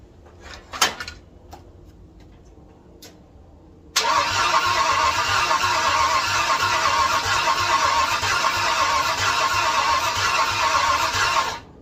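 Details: 1967 Ford F100 after extensive rewiring: about seven seconds of steady starter churn, near three turns a second, with no catch or firing. Fuel system primed to about 40 psi, and the owner suspects timing needs adjusting. Cranks but won't start.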